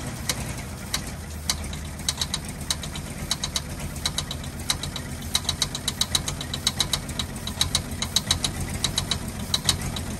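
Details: 1948 Ford F-5 ex-ice truck, first run after about 45 years sitting: sharp crisp ticks in uneven bunches over a rough idle. Owner believes the number six lifter catches on its spring and snaps back, not a rod knock.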